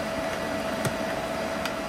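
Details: EG4 6000EX solar inverter in a barn system, charging batteries at about 50 A (100 A across two inverters): a steady high-pitched hum over a soft fan hiss, unchanging throughout. Normal operation under charging load.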